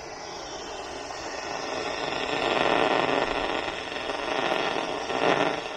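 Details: AC coil leak heard through an ultrasonic leak detector as pressure is lowered to about 5 psi; steady hiss swelling in waves, still detected at low pressure: coil is leaking.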